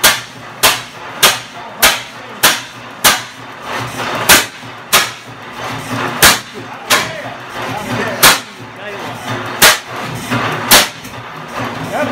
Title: 12hp 1913 Fairbanks Morse NB First start after 42 years of being acquired and in parts since 1976